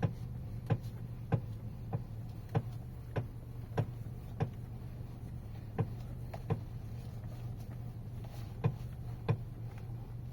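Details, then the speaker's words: Geely Atlas Pro at 4,500 km. Sharp single clunks, about a hundred a minute, are heard in the quiet cabin when the steering wheel is turned right; turning left is silent. The knock comes from the steering or front suspension, cause unknown, and the owner plans a dealer visit. "стук влево крутишь нормально вправо что-то стучит поеду к дилерам"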